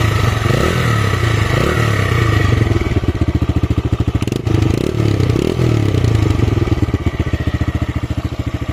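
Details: TVS Raider 125 single, in an old vs new bike sound comparison: deep, thick, evenly spaced exhaust thumps with no ticking or rattle; running smoothly.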